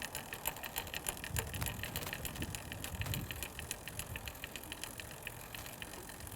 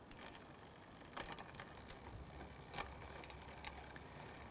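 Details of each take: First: Road bike with Shimano Tiagra rear derailleur, pedals turning during index adjustment: steady light chain chatter, about three to four ticks a second, from too little cable tension, cured by turning the barrel adjuster anticlockwise. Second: Road bike Shimano Tiagra rear derailleur after barrel-adjuster indexing adjustment: quiet chain whir with short crisp clicks as the chain shifts cleanly through each gear across the range.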